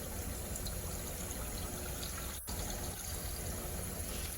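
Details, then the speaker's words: Hoshizaki ice machine flooding the drain pan. Water keeps trickling and pouring after the reservoir is full because the float switch sticks and doesn't satisfy. Tapping the finicky timer started the compressor and stopped the overflow. Diagnosis: faulty timer plus sticking float. "So, you notice I hit this, and then the compressor came on, and the water stopped overflowing."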